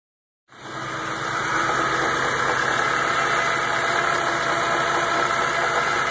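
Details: 2004 BMW E46 M3 started an hour after a short drive with a rough, lumpy idle of about four beats a second, sputtering when the gas is pressed, service engine soon light on, and a vibrating sound.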